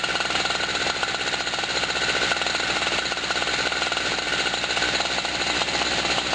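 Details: Generator just cold-started for the first time in 2016 after sitting about a year, on a hot, humid, windy day: a fast, raspy, buzzing two-stroke crackle stays even throughout without stalling or stumbling. Normal running.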